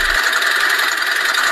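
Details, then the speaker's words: Idling petrol engine, owner complaining of very loud engine: loud fast metallic rattle from the front, diagnosed as timing chain and VVT variable timing phaser noise; camshaft position solenoid checked OK. "那么我们就把毛病直接锁定为这台车的正时链条与发动机的 VVT 可变正时轮传出来的哗啦哗啦的异响声。"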